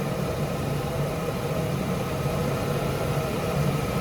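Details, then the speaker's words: 2004 Jeep Liberty with a no-crank fault: grounding the relay's outer, front-facing pin activated it and the engine started; steady, even low idle rumble with no knocks, misses or rattles. "I touched the outer pin the one outer to the front of the vehicle just like that and it started up"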